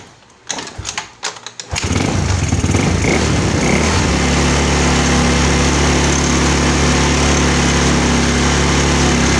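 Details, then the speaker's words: Yamaha Mio scooter with hard starting: after a carburetor adjustment (it was running super lean, starving for fuel), it cranks briefly, catches within two seconds and holds a steady, even idle without dying. "Okay na siya mga ka- sa kalahati ayan hindi na siya namamatay doun sa kalahati kasi Lean na lean kanina kaya ayaw mag-start"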